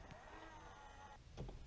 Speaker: this is how the mirror operated and sounded before i made the repair you can actually hear the weak operation of the motor and it does not adjust in all directions